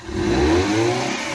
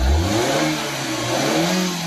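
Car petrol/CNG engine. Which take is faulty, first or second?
first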